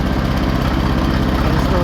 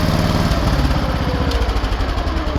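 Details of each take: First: Cast-iron Kohler K-series single-cylinder engine at steady speed with a sharp knock on each firing pulse, unchanged after octane booster so not an octane issue; end play checked good, some cam gear slack; pre-ignition knock from over-advanced ignition timing. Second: Cast-iron Kohler K-series single-cylinder engine, warmed up, after closing the ignition points gap from 0.020 to 0.012 to retard ignition: even thumping run with no knock, noise fixed.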